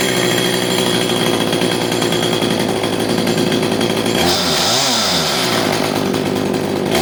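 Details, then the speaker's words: CS310 chainsaw whose chain kept spinning at idle, after the clutch spring was fixed and the low jet screw reset. Steady buzzing idle, a quick throttle blip, then settling again. It runs clean, and the chain no longer spins. "you can see that the chain is no longer spinning because we took care of the spring on the clutch so it would normally be spinning"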